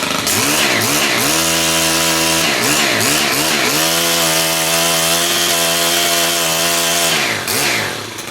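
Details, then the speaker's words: STIHL 130 split-shaft four-stroke combi engine: blips up and down through the throttle, then holds a strong steady high rev with a clean even tone; normal running. "Pretty much the same as that last one, but just a few more balls in her. That's pretty awesome, eh?"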